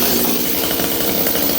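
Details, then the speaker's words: Old Stihl 026 chainsaw after repair for not running: held at wide open throttle it gives a steady, full, rich buzz with no rise in pitch or hunting; doesn't lean out, normal wide-open throttle. "Let's hold this thing wide open. Listen, it doesn't lean out. It stays nice and rich."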